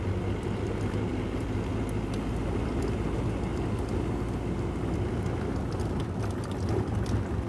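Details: Ford Ranger 3.0 Power Stroke diesel, 175,000 km, test drive with mic near gear lever after repair: steady road rumble with no whine or knocking; noise thought to be gearbox was the transfer case, now quiet.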